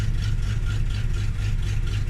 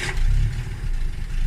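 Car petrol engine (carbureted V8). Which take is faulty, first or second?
second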